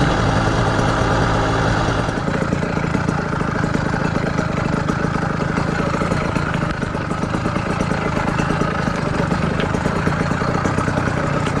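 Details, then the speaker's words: Southern Custom CC Hybrid motorized bicycle with a small two-stroke engine and PZ20 carburetor with the needle clip at a safe setting, on its first ride. Settles into a steady, even, buzzy idle with no misses or knocks. Normal, healthy idle. "I will say, however, I'm pretty impressed. Now that is an idle."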